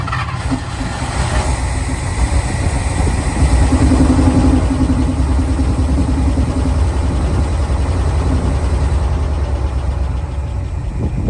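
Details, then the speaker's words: International Harvester Loadstar crew cab V8, first start after 30 years parked: low, slightly uneven, wavering rumble at idle with some blow-by; not shaking badly, seemingly firing on all cylinders. "the motor's not shaking too terribly bad so I think about everything's hitting here"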